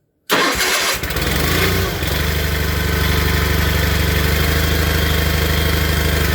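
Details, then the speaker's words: Old Onan tractor engine cold started on half choke: cranks briefly, catches within a second and settles into a steady, even low rumble that levels out as it warms; healthy cold start with choked idle. "normally I'll let them let them run choke for a minute or so you know half third choke and uh they'll start leveling out you'll hear them and then the moisture and the exhaust usually when that clears out they kind of warmed up"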